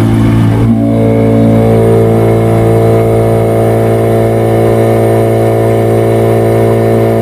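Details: Yamaha 15 hp two-stroke outboard that is hard to start and dies when throttled: a loud, uneven sputtering drone that never gains power, caused by stuck piston rings and a dirty exhaust.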